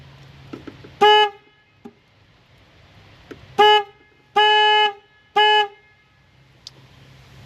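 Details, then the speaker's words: Nissan Xterra with a blown head gasket, battery just reconnected, sounds four loud horn blasts in about five seconds with uneven quiet gaps; owner suspects the anti-theft system is malfunctioning. "Why is my horn Oh no. Why is my horn going off?"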